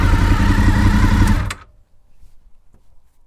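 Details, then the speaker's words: Honda VFR800Fi (5th generation) after idle adjustment, target about 1400 rpm, previously 1500–1600: steady even idle, slower and healthier, no misses or knocks, then the engine shuts off; idle speed correctly set. "pitch is the tone of the engine it sounds like it's idling a lot slower and just generally healthier so this is what it sounds like now"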